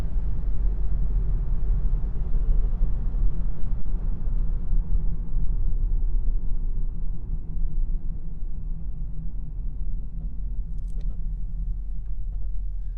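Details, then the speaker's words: JDM Toyota Aristo slowing to a stop sign after a brake job: steady low road rumble fading evenly, no judder or pulsing, where heavy brake vibration existed before; smooth quiet braking after repair. "so prior to doing this brake job I would have gotten an unwanted back massage during a breaking situation like that but as you guys heard it is super smooth no drama no anything like that"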